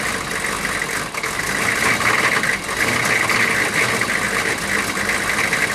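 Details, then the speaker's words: 6.5 turbo diesel run after sitting about six years, low on coolant, coolant leak found; after a rough start it now idles with an even, steady clatter, no misses or hunting, running smooth. "but it is running and running smooth now that's a good thing"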